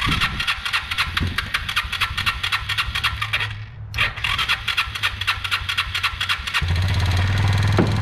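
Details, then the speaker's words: Kawasaki Bayou 220 ATV, new petcock, fuel on reserve: small single fires and runs with an uneven, hunting beat and a gap mid-clip; carburetor intake boot found loose, apparently not retightened after carb cleaning, letting air leak in. "Just noticed the boot on the intake on the carburetor's loose. He must have taken it off to clean the carburetor at one point in time and didn't tighten it back up."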